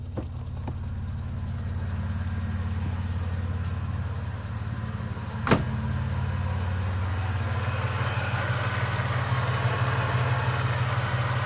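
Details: Toyota 3.4L V6 with newly installed supercharger, warm idle: light ticking about three a second appearing 2–8 minutes after cold start, from the back, stops on throttle revs; suspected supercharger rattle, PCV valve or vacuum leak.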